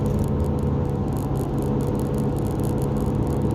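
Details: Subaru, while driving: a steady, very low, constant whir under the road noise that builds with acceleration and rises and falls with tire speed, not gearbox; owner believes a bad wheel bearing, after first suspecting the gearbox or rear differential.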